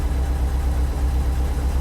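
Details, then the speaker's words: Subaru STI, 5,300 miles on engine, on lift after transmission work and exhaust install: steady, even idle with deep rumble, no stumbling or hunting; healthy, normal injector tick. "She still sounds healthy. Nothing crazy. Got normal injector tick. Got a little bit of buildup in there, so like, sounds good, runs good."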